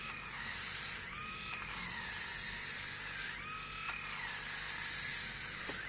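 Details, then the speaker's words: New Grundig MS7640 electric shaver, on one day of stubble: the high buzz sags in pitch with each stroke, then recovers; motor struggling, bogging under load. "so i don't know how much it was how much you could hear but it seems like it's struggling i mean it sounds like it's struggling with my hair what i shaved yesterday"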